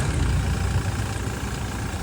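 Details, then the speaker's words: Toyota Fortuner diesel that stalled while driving, possibly from diesel/fuel starvation, restarted after pumping fuel: low rough idle sags and wavers near stalling, expected to die again if rpm drops; unstable idle after fuel starvation. "इसका RPM फिर बंद हो जाएगा तो फिर बंद हो जाएगी ये।"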